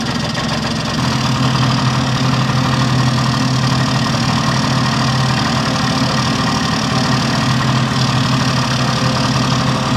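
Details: 1971 Yamaha Mini Enduro two-stroke after carburetor cleaning, muffler refitted with washer O-ring; steady buzzy idle holding an even pitch, no misses or stumbles. Normal idle, running clean.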